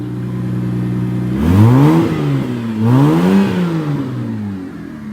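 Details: Petrol car engine, checked while diagnosing a misfire (faulty ignition coils discussed), blips up and settles back twice, revs climbing and falling cleanly with an even note and no stumble; running smoothly.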